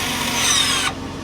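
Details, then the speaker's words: Electronic parking brake on a modern Toyota/Lexus: the motor applying the rear brakes gives a short steady electric whir for about a second, then stops abruptly; normal engagement. "In modern cars, it's a motor that applies the rear brakes. Makes that very familiar sound. That sounds like this."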